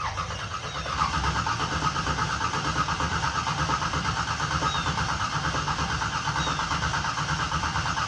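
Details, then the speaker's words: Small-block V8 Camaro with choppy cam, straight open headers after tune-up with fresh plugs, true cold start after sitting three weeks: loud lumpy start, choppy uneven burble at idle; runs healthy. "so it's this is like the truest cold start you can get besides it being 20 degrees outside"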